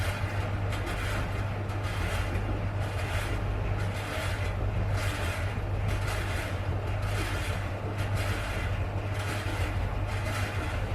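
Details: Siemens tumble dryer, very dirty, before disassembly and cleaning: steady low hum with a rough grinding that swells about every two seconds.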